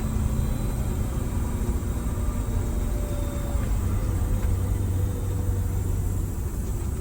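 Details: Detroit Diesel two-stroke bus engine on test drive after blower replacement and tune-up fixing injector timing: steady deep even rumble under load, no misses, knocks or vibration, smoke greatly reduced; normal running under load.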